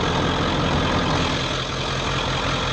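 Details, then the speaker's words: 1995 Ford F250 4x4 7.3 Powerstroke turbo diesel idling after glow plug and wiring harness replacement; deep, even clatter with no misses or stumbling, much better than before; normal diesel idle. "edges look good that sounded better kind of a hey a lot better than it was"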